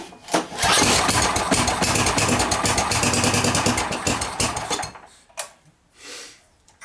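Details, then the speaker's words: Snow blower small engine, pull-started with the throttle on idle during storage maintenance (stabilizer added): it catches at once and runs with a steady, even putter for about four seconds before shutting off; it sounds healthy. "okay here we go that sounded pretty good okay I like to pull through to that compression well it sounded good"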